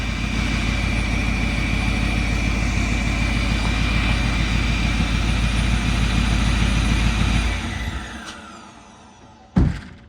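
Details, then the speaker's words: 2008 Ford F350 6.4 Power Stroke diesel, 6-speed manual, blowing DEF fluid from exhaust: deep rumble runs unevenly, sags and dies after about seven seconds; engine choking because it sucked the intake boot in. "It sucked the clamp in. The clamp's right there. No, it sucked the boot in. That's why it's just choking."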